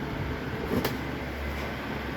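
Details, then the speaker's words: Mains-powered fan after repair, thermal fuse bypassed and motor greased; soft, steady low hum with no rattle, grinding or wobble, running smooth thanks to the grease; normal running after repair. "Se escucha perfecto, se escucha muy bien. Está suave porque tiene la grasa."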